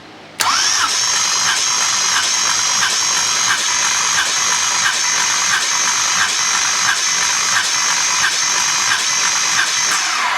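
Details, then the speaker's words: Chevy 250 inline six cranking on a compression test: steady, even starter churn with regular compression pulses and no drag; 160 psi on cylinder 1, around 170-175 psi elsewhere; healthy compression. "okay woo that is pretty good compression 160 PSI on number one that is really good"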